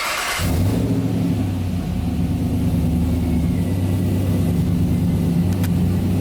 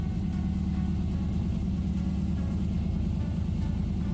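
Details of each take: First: 1992 Toyota Land Cruiser FJ80 with swapped 6L L98 V8 and 6L80 transmission, first startup after conversion, tach and oil pressure gauge not yet working: fires within a second, deep steady idle rumble, no misses or knocks; normal idle. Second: 6L LS V8 (L98, 6L80) swapped into a 1992 Toyota FJ80 Land Cruiser: a smooth, even rumble at a noticeably fast idle with no misses. The idle is high because the tune isn't finished yet.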